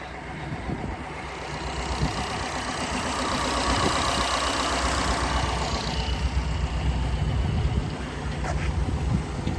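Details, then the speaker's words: Fully restored 1956 Ford Thunderbird, 312 V8, timed, aftermarket exhaust: steady even burble at warm idle with no misses, ticks or knocks; normal healthy idle. "He used it in Florida, obviously, but the car has been up here for a couple of years, so it does idle nice."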